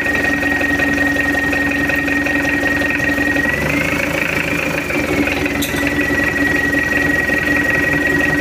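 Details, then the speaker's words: Mitsubishi L200 diesel, rebuilt after an engine teardown, test-run on the stand with injection timing advanced: steady, even idle with soft clatter and a faint constant whistle, no knocks or surging; oil pressure normal, normal idle. "oke udah hidup untuk mesinnya Alhamdulillah nggak ada kendala udah beres dan suaranya Udah adem goyang mesin pun juga tenang"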